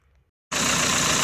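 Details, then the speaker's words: Renault Megane 4 1.5 dCi diesel, after refitting the original crankshaft damper pulley tack-welded round as an experiment against its knocking: catches and settles into a smooth even idle with no pulley knock. "Ну вот поставил, завёл и нет этого раздражающего Вот тишина."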